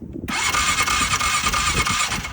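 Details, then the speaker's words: 2006 Polaris Sportsman 500 with twice-repaired PDM, fuel pump not running: steady whirring crank for about two seconds that never catches; no start, runs fine with a working new PDM. "This is the PDM that's been repaired twice now. Turn it on. No fuel pump."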